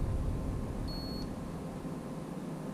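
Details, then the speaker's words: Boat kill switch checked with a continuity meter: one faint, short high beep then nothing, as the small interrupt button inside only barely makes contact; intermittent continuity, cause unknown, suspected that the clip isn't fully engaging the button. "hear it i don't know if you can hear that or not but it just barely beeps it"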